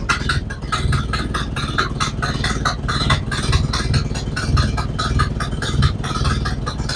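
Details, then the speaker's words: Model A Ford cold start after sitting about four months, with old ignition parts (cap, rotor and coil probably from around 1970): a low, lumpy, stumbling idle that never steadies, running worse than it did in January. Tired ignition is suspected, not confirmed. "mixed results on that it started didn't run as good as it did in January but uh that's not much of a surprise"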